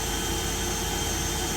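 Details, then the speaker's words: Niftylift access platform hydrogen (H2) fuel cell on a test run after jump-start with booster pack, gas open, around 33 V, charging the battery; steady airy whir with a few fixed high tones, no surging or dropouts, normal fuel cell operation. "okay so it's actually running charging now the battery so because it's a test run it will stop after a couple cycles"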